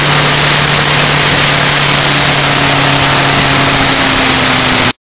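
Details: Land Rover Defender 200 TDI diesel, first start after a year-long rebuild: loud, relentless high-revving roar with a rising tone that never settles to idle, then cuts out as it runs on its own oil. Diesel runaway.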